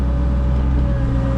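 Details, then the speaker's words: Caterpillar mini excavator digging gutter pipe trenches beside buildings: heavy, steady, low droning hum with a faint constant tone, louder and deeper than its usual hydraulic note; operator suspects the hydraulic fluid, unconfirmed. "Sounds like it's loud. Like, hear that? I better check the hydraulic fluid. It's never sounded that low before."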